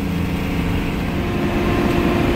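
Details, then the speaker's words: 1986 Ford F350 dually 6.9 IDI diesel towing another 1986 F350 up White Pass in 2nd gear, pegged out: heavy steady diesel drone with fan roar building under load; fan cuts in and shuts off normally, no overheating (temp gauge broken). "You hear that fan whirling up, but it shuts off too, so I know when I'm not overheating, but it does kind of suck."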